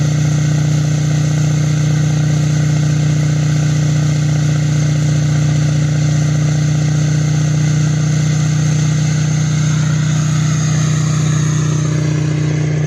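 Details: Duramax LML diesel with a fresh long block, held at a steady 2,000 rpm fast idle outdoors during a 5-minute break-in: even drone with no knocks or misses, and no massive leaks. Normal running.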